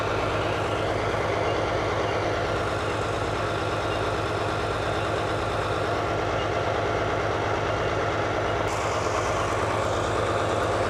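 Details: 1939 Allis Chalmers HD14 bulldozer with 6-71 diesel, running after sitting several years: deep, even chuffing at steady idle, about three pulses a second, no knocks or misses; normal idle.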